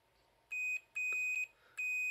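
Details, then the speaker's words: H.Koenig V6 steam station iron repair: a multimeter gives clean continuity beeps on the new thermal fuse, rated to trip at 245°C, tested before fitting; the fuse is good. "Et lui, on entend qu'il est passant. Donc voilà, j'ai installé le nouveau fusible thermique."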